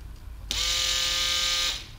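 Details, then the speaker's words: Toyota Corolla EVAP vane pump, electric-motor driven, bench-powered after reassembly: clean, steady high whine for just over a second, starting and stopping crisply with no rattle; pump fully functioning. "are you kidding me this is fully functioning vein pump which is ran by electric motor"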